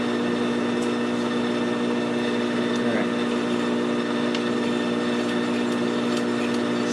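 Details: ECHO edger after its snapped driveshaft was replaced with a new greased shaft: smooth, even whirring hum at steady pitch, no knocks or grinding; the new shaft spins freely and sounds healthy.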